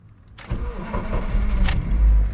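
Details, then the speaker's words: Chevy OBS Blazer started after sitting about a month with battery disconnected: brief crank, quick fire, then strong even low rumble; normal start. "and there it is so like I said this thing hasn't been started in a good month still runs fine"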